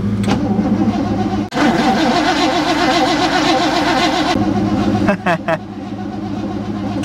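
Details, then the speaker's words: 1960 Chevrolet Impala, sat for decades, cranked on the key switch with a newly fitted battery: the starter spins it about three seconds at roughly 2.5 compressions per second, a nice healthy, even crank. "sounds like a nice healthy crank too nice and even"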